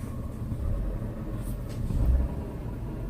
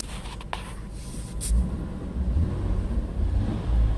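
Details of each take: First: 2000 Ford Taurus, 145,000 miles, heard inside cabin with light throttle: low droning rumble, almost like grinding, seeming to come from the dash, pulleys checked fine; vibration carried by broken motor mount contacting metal. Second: 2000 Ford Taurus, 145k miles, in the cabin with the window up after fixing a motor mount whose bushing had shifted and let metal rub metal: low engine rumble rising with throttle, no dash rattle, cabin quiet.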